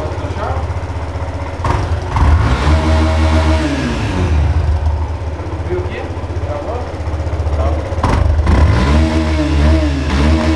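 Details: Yamaha Fazer motorcycle idling and blipping with an irregular knock of about four a second; each mechanic names a different cause, so the source is unknown: engine knocking noise.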